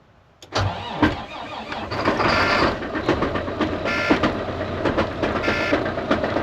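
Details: Hotwired 2014 Volvo VNL semi diesel. It catches after a brief crank and settles into a steady, even idle with some rattle and no knock. The engine sounds good.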